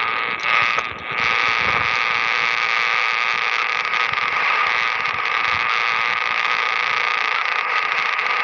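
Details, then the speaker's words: Power line interference on an HF ham radio receiver: a constant, harsh, raspy buzz with hiss and no signal underneath. It gets in when the station isn't plumbed properly outside; filters help only partly. "the noise from power line is going to come on in and you all know what power line the noise sounds like it is just plain ugly"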